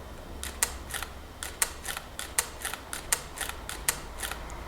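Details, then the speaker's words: Nikon D600 shutter in Q quiet mode: soft muffled double clicks a little over once a second, hushed but not silent; normal quiet-mode shutter sound. "that's roughly the volume if I bring it on put it on to you quiet mode this is what it sounds like"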